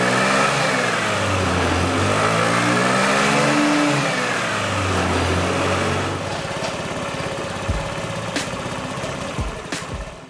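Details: Honda Ruckus scooter with the OEM exhaust broken at the header pipe to cylinder head joint, after a prior weld: a loud, raspy, lawnmower-like blat rising and falling with revs, then a rough idle. This is before installing a Yoshimura exhaust.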